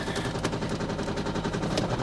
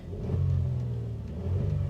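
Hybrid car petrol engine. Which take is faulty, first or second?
first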